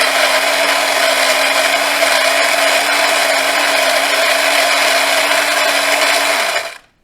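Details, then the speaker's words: Philips LatteGo espresso machine (probably 5400 series), final test after fixing error 11 and three blinking LEDs: the grinder whirs at a steady pitch for about six seconds and winds down cleanly, grinding normally. "We will see if the grinder works in these machines, the grinders are also dropping like flies"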